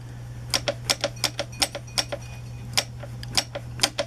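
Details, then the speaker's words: Alex powered wheelchair by Handicare, lifted off the ground, drive wheel rocked by hand after the motor was repeatedly repaired/replaced: sharp uneven clacks about twice a second; whole wheel loose from excessive play in drive motor bearings and gearing; tires wear bald quickly. "the whole wheel is loose and that's only this side so you add to that the other side okay of this wheelchair"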